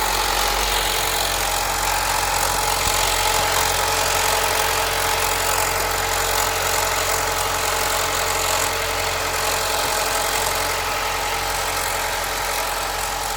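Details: 2017 Alfa Romeo Giulia 2.0 Veloce turbo, AWD 280hp, 60,000 km, cold start idle: fast, fairly even metallic rattle, about three or four a second, over the engine; owner suspects the diverter valve, not confirmed.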